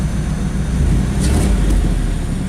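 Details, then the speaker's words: 1996 Chevrolet Camaro Z28 5.7L V8 at idle with a slight rev, before repairs: a deep, rough rumble, louder and rawer than a sealed exhaust, from an exhaust leak. "so up here is where the exhaust leak is you can somewhat hear it if I give it a few I'll give it a little bit of a REV"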